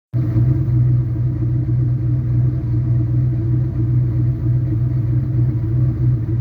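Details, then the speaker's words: Turbo Mustang V8 at idle after milling the passenger header and fitting a Remflex gasket: deep even rumble, faint valvetrain clatter, no manifold-leak puffing or ticking; only a tiny leak at the V-band remains. "A little valve train noise, but I don't hear the obvious leak that I had before, where I could hear it over the exhaust while driving."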